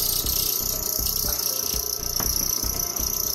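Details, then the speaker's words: Dayton 6K857 3/4 hp furnace blower motor, never lubricated, bench-run and warmed up: steady piercing high squeal over motor hum with light rhythmic tick; dry, tight rear bearing. "sounds like it's coming from the rear bearing let's dig into the back bearing before we work on the motor"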